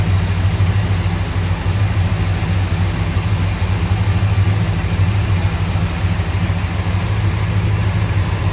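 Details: 1969 Dodge Coronet R/T hardtop, numbers-matching original 440 big-block, under 100 miles on engine and transmission, hood open: deep steady burble with even lope, no knocks or ticks; healthy idle.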